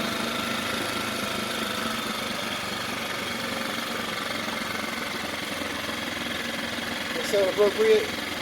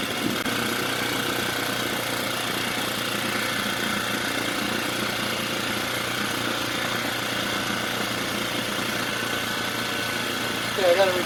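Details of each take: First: Mercury 4/5 hp outboard, bought as a no-start, with new carburetor: ticking over at a steady, even idle with a smooth buzz and no misses; runs normally. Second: Mercury 4/5 hp two-stroke outboard with new carburetor, after a no-start diagnosis, buzzing evenly at a fast, high-pitched idle with no hunting; idle set too high and needs reducing.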